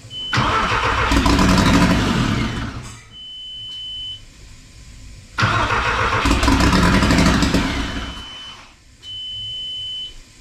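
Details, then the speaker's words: Porsche 944 with 1.8T engine swap, first start after about a year and a half of work, run on a temporary wiring board with no exhaust fitted: two loud raw three-second bursts of firing, a steady beep between. "my main thing was I want it to be here this engine run that's all that's on that board is just to get it started for a few seconds and it did and that is amazing"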